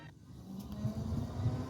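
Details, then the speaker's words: Buick Encore after a new radiator cooling fan assembly: a low whoosh builds smoothly over about a second into an even hum; the low speed fan works. "and there goes our low speed fan guys turn it off everything's working"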